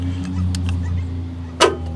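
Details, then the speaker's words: Sharp click then a softer one over an idling engine on a van's Ricon wheelchair lift: the stow-latch solenoid fires but the plate doesn't move to release the lift; the mechanism possibly came loose, unconfirmed. "can hear the click but this little plates not moving"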